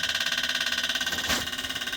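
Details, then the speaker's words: Cummins ISC 8.3 with CAPS injector pump, actuator click test: crisp rapid even clicking about 15 per second as the injection control valve responds to command, needing healthy 12 V supply; injection control valve clicking during actuator test. "so here I'm going to press injection control valve it's going to start and you can hear the clicking"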